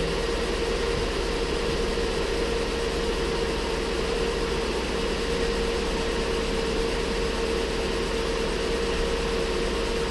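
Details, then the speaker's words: Ford Flex 3.5 first start after water pump and timing component replacement; steady high squeal over even idle from accessory belts contaminated with coolant, confirmed by spraying penetrating oil on belts; belts may need replacing. "belts come up and that's what that noise is. And that's exactly what it was. I took and I sprayed a little bit of penetrating oil on those belts just to confirm that was my noise, because it had me a little nervous."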